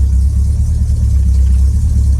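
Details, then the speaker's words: 1968 Ford Thunderbird V8 cold-started on a cool May morning with 5 or 10W-40 Lucas oil and barely any choke: low, uneven idle surging and stumbling; engine dislikes choke. "See, does not like much choke. I barely got the choke, like barely closed, and it hates it."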